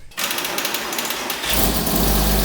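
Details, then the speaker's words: 2005 Porsche 987 Boxster S with a freshly rebuilt M96 3.2L, starting: a second of rapid solenoid chatter, then steady cranking. The battery load-tested fine; the cause was the starter solenoid cable not fully tightened. "And I had not fully tightened down the one that went to the starter solenoid. So therefore, that's why you hear the starter solenoid going because it didn't have a super good connection."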